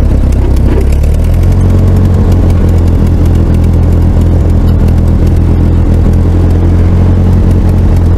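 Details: Ford 8N tractor that had been sitting, with its no-start traced to a bad ignition switch rather than the points. Low, steady thumping run with no misses or knocks: running smoothly.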